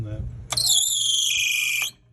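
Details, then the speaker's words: Club Car Villager golf cart in neutral with the belt cover missing and a visibly worn drive belt: a shrill steady squeal over the quiet engine for about 1.5 s. It squeaks more in reverse and hesitates to take off. Slipping belt suspected; belt replacement advised. "try put it in reverse when it's in here it squeaks more no normally it will squeak more and it will pause more"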